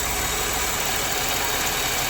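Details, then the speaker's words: Car at idle with check engine light, after EVAP purge solenoid and U-shaped line to throttle body replaced: steady airy hiss over soft even idle; owner hears a leak somewhere, not yet located. "but I do hear a bit of a leak somewhere that hit some noise so I'll have to find that"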